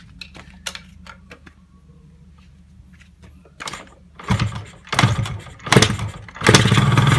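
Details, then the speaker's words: Yamaha RX King two-stroke, after a rebuild for a klotok knock with vibration: new connecting rod, piston and crankshaft bearings. Some handling clatter, then it catches and revs in short crisp bursts with no knock; very smooth, healthy. "Pengin itu suaranya ya halus banget jos gandos halus halusnya"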